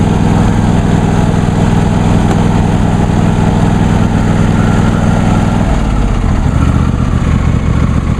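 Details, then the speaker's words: New John Deere D130 lawn tractor just started on choke; a smooth, even low drum with no misses, then a steady drop in pitch as the revs fall, healthy idle. "and as you can hear it sounds just like my grandfather's older uh MTD hoson tractor which has practically the same engine"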